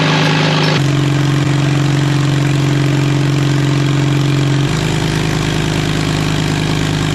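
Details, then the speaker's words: 1939 Caterpillar D4 with D4400 diesel after rebuild, turned over by the gasoline pony motor: the pony motor drones steadily but the diesel never catches; no fuel pressure because the fuel valve from the main tank was shut. "we were starting to build fuel pressure and then all of the sudden no fuel's coming out anywhere and I'm going what what's going on here I had the fuel off coming from the main tank"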